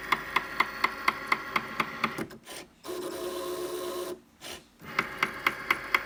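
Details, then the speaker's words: New Cricut Maker cutting a card: sharp regular knocks about twice a second as the carriage moves back and forth, pausing during smoother moves; loud knocking of unknown cause. "My machine is making a loud knocking noise. You'll hear it in just a moment when this device moves back and forth. That's the noise."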